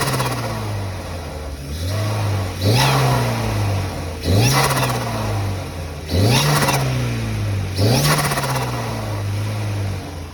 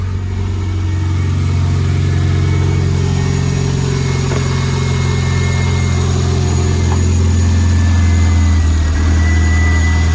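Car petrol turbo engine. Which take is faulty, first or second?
first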